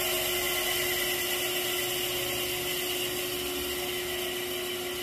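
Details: 1945 GE 3-phase 5 HP saw motor, first test run before rebuild on rotary phase converter: loud steady high-pitched scream with fixed tone over airy hiss, no knocking; noisy.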